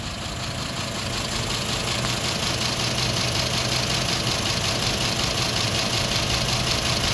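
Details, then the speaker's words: 2010 Ford F250 XL utility bed truck, warm after over 40 minutes idling: smooth idle with soft even knock about three beats/sec underneath, not like valve or lifter tick; suspected lack of lubrication, oil change may help; unconfirmed. "it's not a tick tick like a valve or a lifter for me it sounds like lack of lubrication or maybe an oil change will improve it"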